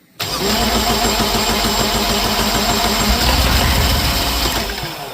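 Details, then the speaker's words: Untested scrapyard Universal M25XP marine diesel on first start attempt: catches but runs weak and uneven, pulsing about three a second, then fades out; cylinders 1 and 2 get no fuel, injection pump problem. "Yeah. Number 1 and 2 aren't getting anything. Yeah. There's an issue with the pump."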